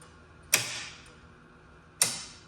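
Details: Gottlieb Spirit pinball machine during restoration, first power-up after fitting fuses, coil test: two crisp single snaps about a second and a half apart over a quiet background, each coil pulling in cleanly; normal solenoid coil firing.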